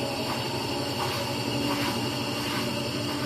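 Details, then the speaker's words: Brastemp Clean 10 kg washing machine, weak and noisy on spin, needing a hand push to start spinning: steady rushing roar with droning hum as it gains speed, from a worn motor bearing. "ó vai pegar velocidade ó e Olha o barulhinho do rolamento aí ó olha o barulho do rolamento tem um rolamento aí ó"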